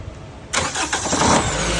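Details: Toyota Camry with a no-start fault, started using a wiring trick: near silence, then a brief crank that catches at once and settles into a steady idle; the engine starts normally.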